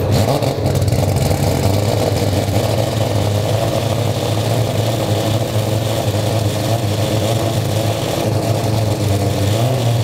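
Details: 4-rotor rotary engine running after first-try start: loud, deep, even rotary drone holding steady with a slight rise near the end, no knocks or misfires; runs crisp.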